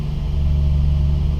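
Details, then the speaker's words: Nissan 350Z after swap to CD009 gearbox, lightweight flywheel and upgraded clutch, first start: steady deep even idle, no knocks, ticks or grinding; clutch heard and felt disengaging properly, driveline healthy. "nothing sounds weird I can feel and hear the clutch disengaging when I'm pressing it so that's good"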